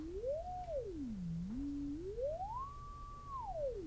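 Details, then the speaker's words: Zenith 707 vintage radio, unpowered with the field coil not energized and magnets on the electrodynamic speaker, while a modulated signal is injected across the output transformer primary. A clean tone sweeps up and down with no buzz or distortion: the speaker, transformer and voice coil are healthy. "you can hear the speaker performing so again that would indicate that the loudspeaker itself is in good health that being the output transformer back over to the voice coil itself"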